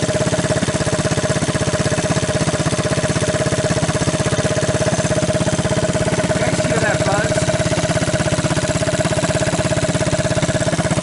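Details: 1983 Honda ATC200 single-cylinder after a budget top-end rebuild with used cylinder, used rings and torn valve seat, started half-choked: quick, steady putter about three beats a second with even rhythm; the rebuilt engine idles fine.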